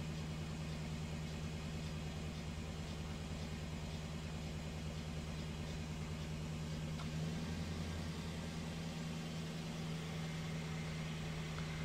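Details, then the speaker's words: 2008 BMW 318 with intermittent misfire, cylinder 1 misfire code, at idle during diagnostic software injector cut-out test: engine speed noticeably dips as each injector is cut out to induce misfire. "now testing all the injectors you can hear the engine dipping all right it's firing the injectors now you would see the red start to increase soon and start to induce misfire"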